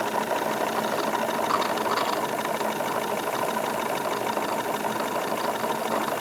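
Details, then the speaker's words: Wilesco D22 model steam engine running on stored steam after fire pulled, revs increased slightly: light quick even chuffing, background gurgle of exhaust condensate, no knocks or vibration; normal smooth running. "just very very smooth operation increasing the revs a little bit I can feel effectively no vibration coming from this thing just lots of very very smooth operation"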